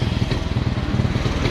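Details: Suzuki Smash motorcycle being tested for charging, around 11 V: uneven, stumbling single-cylinder putter with irregular thumps that won't take throttle; misfiring and hesitating.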